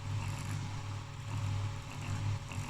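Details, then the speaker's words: 1960 Branson Sonifier LS75 power supply's 16 W cooling fan (rated 105–125 V) run on 120 V: low, uneven droning rumble from completely worn-out bearings. "it is 16 watts it's really really powerful but i can hear that can hear this bearings are completely"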